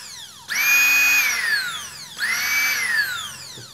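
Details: Mixer/food processor model BMM 01, 127 V, 400 W, which would not switch on; after repair, two short bursts with the motor spinning up to a clean high whine and winding down smoothly, no grinding or sparking crackle.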